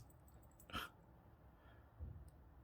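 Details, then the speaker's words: Q Timex Reissue 38mm TW2T80700 quartz watch: turning the crown backwards gives faint crisp clicks but no day change, as this movement lacks quick day-set; day advances only by running 24 hours. "but when you try to turn it backwards where usually you can change the day you can just hear that clicking"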